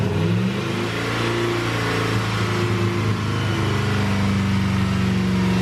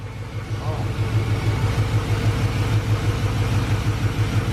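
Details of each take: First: LS-swapped Chevrolet Suburban, first start after the swap with a new cold air intake: V8 holds a steady, raised speed for about ten seconds, then drops sharply; high idle, control cable too tight suspected, not confirmed; no knocks. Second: LS-swapped Chevrolet Suburban V8, first start after the swap, freshly fitted with a cold air intake: deep, even rumble with a steady pulse and no tapping or knocking, with PB Blaster burning off. Healthy idle, no smoke.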